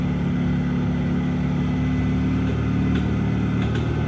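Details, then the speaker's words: Mahindra Supro diesel at idle: heavy, low, uneven lumpy drone with faint ticking on top. Abnormal engine noise; speaker suspects the injectors or injector pressure system and plans to remove the injectors. "ना ज्यादातर क्या होता है ना वो injector से होता है और जो मतलब खाने का मतलब ये है जो सिस्टम है ना इंजेक्टर का प्रेशर सिस्टम है ये सही तरीके से कम नहीं करेगा वो जाकर ऐसा प्रॉब्लम ए जाति है"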